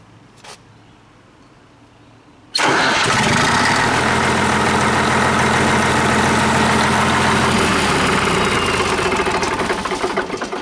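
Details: 1959 Caterpillar D337F diesel generator restarted after shutdown: it fires at once and settles into an even, steady idle with no knocks or misses. It cannot be stopped with the throttle and needs the shutdown lever. Healthy start.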